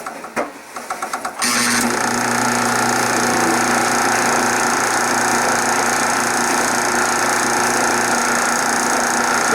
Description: Worn bronze bushing causes pulley to be tilted upward. Belt thus rides to edges of pulley and idler pulley.